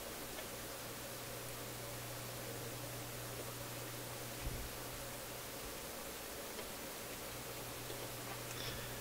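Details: Philips console tube stereo receiver with a tube pulled from the IF strip: a steady, even hiss over a low hum, unchanged with the tube out, so that stage isn't the source of the static. Cause still unknown.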